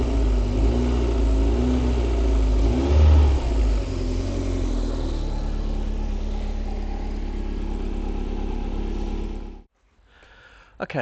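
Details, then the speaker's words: MG TF 115 with Rover K-series 1.6 L petrol engine idling near operating temperature before an oil change and engine flush: steady, even low rumble with no knocks or ticks, then it is shut off. "This is the sound of that beautiful 1.6 L K series engine. Smooth as a sewing machine."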